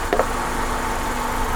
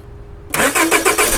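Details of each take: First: Honda Accord, believed 2001 or 2002, that would not start: restarted after running 8–9 minutes, cause thought to be running out of fuel; brief clack, then smooth steady petrol idle. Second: 2001 or 2002 Honda Accord (6th gen) that won't start, with spark confirmed and the fuel pump relay suspected: the starter turns the engine over in quick, even pulses with no catch; crank-no-start, out of fuel.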